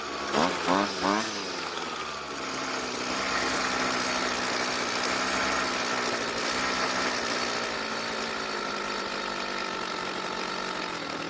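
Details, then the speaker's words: Warm Jonsered two-stroke string trimmer, air filter cover off, idle screw turned about three turns clockwise: a few sharp pulls, then an uneven, wavering idle; raising idle speed made no difference, rich low-speed mixture. "well that didn't make any difference so this time i'm going to make adjustments to the carburetor"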